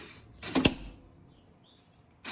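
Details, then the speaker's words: 1986 Kawasaki Bayou 300 ATV, cranking with the flywheel refitted: sharp dry clicks in short bursts, catching only occasionally; starter clutch slipping, one-way bearing not engaging; owner is unsure whether the one-way bearing or the sprocket is at fault. "Clicking, it wants, that's the one-way bearing working, it wants to catch it, but it's not."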